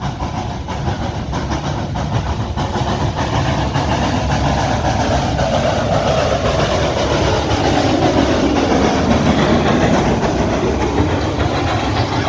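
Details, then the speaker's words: Live-steam locomotive No. 58 run up the hill at full throttle on 175 psi: loud chuffing about two beats a second with some exhausts off rhythm, an uneven beat; owner suspects slight valve timing rather than packing, unconfirmed. "she sounds pretty good but you could still hear that offbeat exhaust they're still in there a little bit i don't think it really is off of the uh the packing as much as it might be a little bit still a little bit of valve timing something in there"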